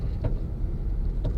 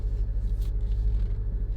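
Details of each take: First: Honda Civic (2006–2011) just lowered on MaXpeedingrods coilovers, slow maneuvering: two short creaking clunks about a second apart over low rumble, only from the driver's side wheel; something loose suspected, coilover top mount creak. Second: 2006–2011 Honda Civic on MaXpeedingrods coilovers after greasing them to cure a popping noise: only a low steady rumble while creeping along, with no pops, clunks or creaks; the suspension is quiet.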